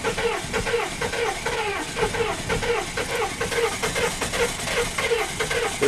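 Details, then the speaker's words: 1994 6.5 turbo diesel first start after sitting four to six years: slow, uneven chuffing about twice a second as it struggles to catch, sounding low on compression; it later fired and smoothed out, a hard start. "I think uh-oh that does not sound good it doesn't sound like it has [Music] compression that's not good"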